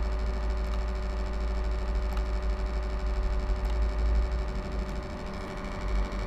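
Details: HP Envy m6 laptop fan makes a strange noise: a low buzzing drone with steady tones and a few faint clicks.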